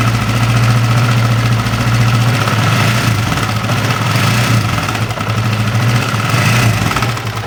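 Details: Honda CB150R idling with an uneven rattly clatter over a lumpy idle, about four beats a second; rough noise seems to come from the upper left of the engine, cause not yet confirmed.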